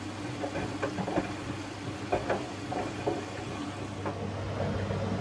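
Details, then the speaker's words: Bosch Serie 4 washing machine, 4 months old, 30-minute quick wash, first rinse beginning at 15 minutes to go; low steady hum, soft sloshing, odd gentle thump as drum turns slowly, healthy. "and it sounds like a little bit of water is going through to begin the first rinse and there we go rinsing away"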